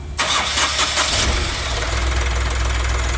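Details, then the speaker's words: Ashok Leyland Dost diesel after crankshaft repair, started on the original ECM: brief crank of a few quick beats, then catches into a steady even idle; clean start, faults were rail pressure and crank sensors, ECM okay. "तो अपना देख सकते हो पुराने में भी गाड़ी start हो गई है"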